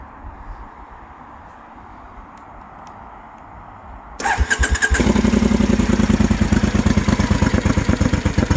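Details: Motorcycle with suspected AIS (air injection) fault: catches after a quiet start and idles low, rough and uneven with a stumbling misfire; idle stabilises when the AIS pipe is pinched.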